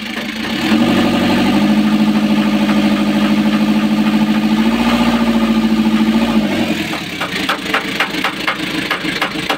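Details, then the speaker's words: Freshly overhauled Kia KC2700 diesel, previously hard to start with slow cranking, starting after heater use; catches after a few cranks and settles into a steady even idle, no longer stalling. Problem solved. "Oh solve ang problema na okay na yung ano niya andar."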